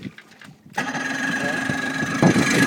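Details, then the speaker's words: Outboard on a boat in the middle of a lake, choke lever pushed up, starter whirs steadily for a couple of seconds with no catch or firing; cranks but won't start, no juice, cause not identified. "Nope. No juice. We ain't doing nothing. We ain't going nowhere. We ain't going nowhere. We ain't going nowhere. This thing doesn't start."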